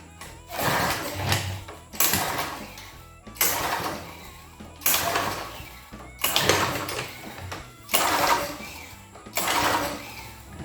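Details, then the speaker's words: Belt-drive lawn edger with 3.5 HP Tecumseh engine, fuel put down the throat: seven recoil pulls about every 1.5 seconds, whirring rattles with only a little puff and no start; weak spark, keyway not suspected. "Squat. I ain't got squat. Being belt drive, I'm not really suspecting a keyway, but ain't unheard of. I has too many pulls not to get more than a little puff out of it."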